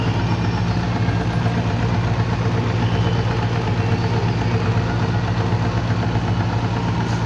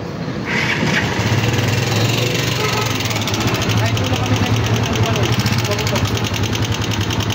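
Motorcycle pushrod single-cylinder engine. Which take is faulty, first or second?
second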